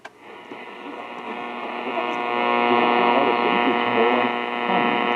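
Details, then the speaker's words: Harsh steady buzzing hum over AM radio station audio from interference on weak reception, heard without the loop antenna with long wire and ground that reduces it. "it can help reduce the buzzing and humming if that's an issue"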